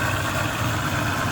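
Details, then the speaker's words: Overheating vehicle whose cooling system held only water, running while warming up: smooth, even idle with steady low rumble and fan rush, no knocks. Fan blows well and is not the problem; radiator clog and bad cap were found. "Okay, it's running. The fan looks pretty good. It's blowing good. Okay, so the fan is working perfect."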